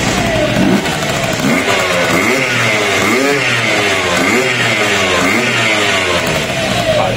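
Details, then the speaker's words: Jog RR two-stroke scooter after a rebuild: crisp revs rise and fall cleanly and settle to a steady idle without rattles. The earlier noise is gone and the water pump is now properly seated. "resultado como veis ya no se escucha el ruido que tenían está todo bien la bomba de agua está bien pillada el sonido que tenía de encendido ya no lo tiene"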